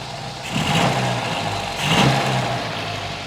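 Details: 1952 MG TD during timing and carb work, with idle being set toward 850–900 rpm. Two throttle blips that swell and fall back to a steady, even low idle; picks up cleanly and settles.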